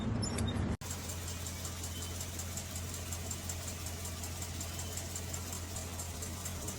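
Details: Hemi V8 at idle: a light, fast tick, about four per second, over a steady hum; suspected lifter tick.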